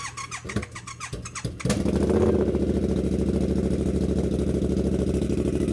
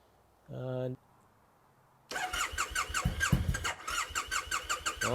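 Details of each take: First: Triumph Bobber, stored most of the year, after a starter problem on an undercharged battery; starter spins briefly, the twin catches and settles into a steady regular idle with no misses while warming up. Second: Triumph T100, stored in the garage most of the year, at about 10°; brief beep then a long uneven starter churn with rising and falling pulses that never catch, a slow reluctant hard start.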